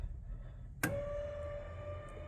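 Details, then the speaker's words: 1957 Chevy pickup with C4 Corvette rear brakes and an added electric linear-actuator emergency brake; sharp click then an even, steady motor whir as the actuator releases the brake, operating normally. "There's the emergency brake. And all you do is down to put the brake on."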